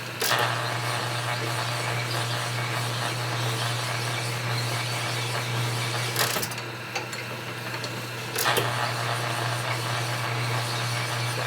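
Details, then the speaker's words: Lapping 45ci Harley WL/WLA connecting rods on a honing machine with more stone pressure, rods heating up: steady low machine hum with gritty hiss as the stone bites; honing stone cutting normally under load. "Okay, let's give it a little bit more pressure. 2.5. Lower line, crank it out. You can hear the stone cutting on there."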